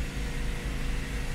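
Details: 2012 Nissan Sentra 2.0 at idle after replacing a faulty MAF sensor that caused P0300 and stalling; airflow now 2.6–2.7 g/s. A low, steady rumble with an even beat and no stumbles or misfires. Healthy idle.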